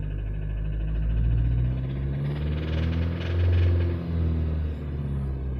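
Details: Mini Cooper S R53 engine, noise came suddenly while cruising: starts and revs with an uneven metallic rattle over the low rumble, rising with revs; possible knock or engine failure, source unclear.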